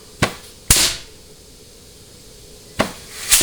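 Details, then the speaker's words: Ford C6 transmission on the bench, case air check at about 100 psi on the low-reverse clutch: two sharp air bursts fading into short whooshes, clutch applies cleanly and seals very well. "all right hear that so that clutch is very very very very very healthy I mean it is sealing super well"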